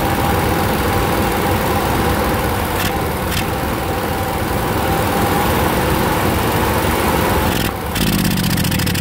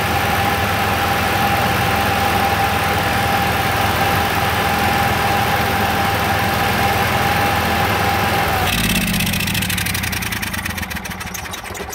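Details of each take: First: Onan QG 5.5 RV generator: steady drone, then a fault is deliberately induced by hitting a lever so the governor can't regulate speed; speed sags and stumbles unevenly until the engine dies. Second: Onan QG 5.5 air-cooled RV generator, cover off, test run after clearing an induced governor fault code; steady even drone with constant whine, speed held firm, then smooth rundown; normal running, code cleared.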